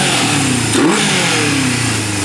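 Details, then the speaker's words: 1978 Honda CB550K after restoration, with new uni air filter, about 35 degrees out in late November. Runs good and strong, but revs climb then hang before returning to idle; owner thinks carbs need syncing again. "It runs good. It's strong. I think the carbs need to be synced again because it's hanging up like that."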